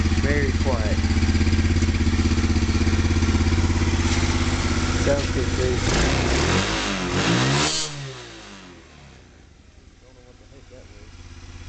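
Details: Kazuma Falcon 110 semi-automatic ATV, hotwired with no ignition switch, fitted with a replacement battery and new solenoid: an even, regular engine beat at a steady pace, then it winds down. It starts and runs cleanly.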